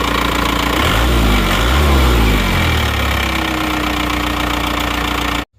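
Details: Penter 25 diesel after crankshaft breakage, blamed on an over-adjusted injection pump rather than block or crank: even diesel clatter at steady idle, no irregular knock or stumble; smooth healthy idle before shutdown.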